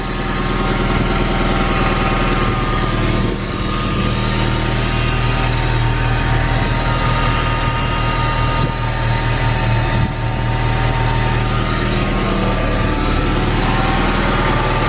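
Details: Honda K20 engine-swapped car at idle, too hot, after the fan switch plugs were flipped to correct wiring: steady idle hum with a constant whirring fan on top, then the engine cuts; radiator fan now switches on normally.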